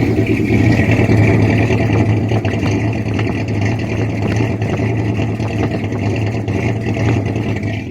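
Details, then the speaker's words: 1979 Ford F150 with rebuilt V8 and two-barrel carburetor, warming up while the carburetor is adjusted for idle problems: deep, even rumble with smooth throttle blips, no misses or knocks; normal revving. "sounds pretty good I'll tell you what the old engine would do before it was rebuilt"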